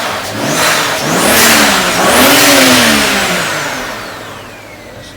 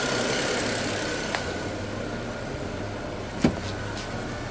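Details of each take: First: BMW just after cleaning VANOS solenoids (for codes 2A87, 3100), engine revved twice: clean whistle rising and falling, then steady; turbo spooling normally, though codes later returned including P0015. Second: Turbocharged BMW after cleaning VANOS solenoids for codes 2A87 and 3100: engine running steadily with turbo sound and a thin constant high whistle above idle, source unclear; repair failed, P0015 and more codes followed.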